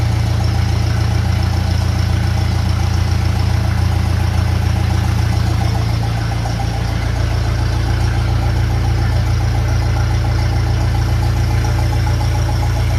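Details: 1957 Ferguson FE35 TVO tractor after tappet adjustment and rocker cover leak fix: even regular low idle chug with light tappet tick, no spitting or misfires; normal idle.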